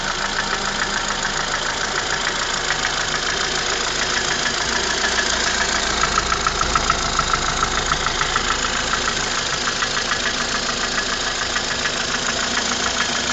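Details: Ford Fusion engine at idle: a sharp, regular tapping knock about three times a second rides over the engine; the source of the knock is not yet found.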